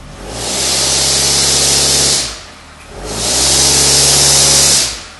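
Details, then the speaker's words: 2006 Nissan Altima 2.5 with P0420 code, in gear and power-braked: twice a loud hissing, rasping blow rises over the engine drone then fades; exhaust leak underneath near the catalytic converter. "I'll take you up underneath the bottom now and I'll show you where that exhaust um where that exhaust leak is taking place."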